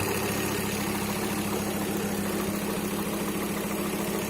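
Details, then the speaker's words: RS-based build, first start after front end and driveline removal: steady low idle with a light, fast, loose flywheel/gearbox rattle, expected to get louder as the gearbox oil warms and thins. Flywheel rattle at idle. "you better hear the flywheel Dinka Dinka baby as it warms up in the gearbox oil gets runny that'll get louder that's the noise everyone's talking about"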